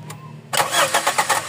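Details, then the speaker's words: Toyota Corolla GLi 4A-FE that suddenly died after a test drive; cranking yields quick even pulses under a second and the engine never catches, no fuel pressure, with the fuel pump suspected and later removed. "Sige tuloy mo hindi hindi tuloy tuloyan Sige start Wala Walang walang pressure"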